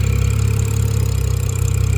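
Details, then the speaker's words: BMW F10 535i idling after an eccentric shaft repair; the owner suspects a valve cover gasket leak. Smooth, even low idle with a steady pulse and no ticking, knocking or misfire; the engine sounds healthy. "Put a cover on that. And let it crack. It sounds good. Everything good."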